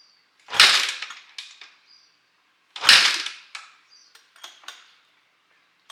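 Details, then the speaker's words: 2006 Honda CRF450X with 450R top-end conversion, fresh full rebuild, used 2006 450R carburetor, choke out: two hard kicks with sharp rattle, no firing; no-start, idle screw possibly misadjusted, choke possibly not working. "So I don't know if the idle screw is adjusted wrong and the choke isn't working, but we don't know what problems our carburetor has till we get there."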